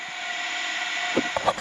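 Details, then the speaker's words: Old Ford water truck, engine running with key off, after the major leaks under cab and hood were fixed: steady high hiss of compressed air escaping at the air horns, the biggest remaining leak, which still needs taking apart. "after I fix all the major leaks that were like underneath the cab underneath the hood the biggest air leak that is still existing is the air horns you guys can hear that up there"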